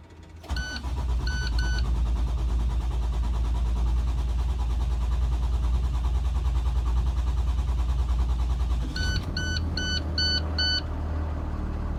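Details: 2016 IC CE bus, Cummins 6.7L diesel, after dealer replaced rusted fuel tank, lines, fuel rail, filter and water separator following water-in-fuel warnings: steady low cranking drone about ten seconds between dash chimes before settling; hard start, extended cranking.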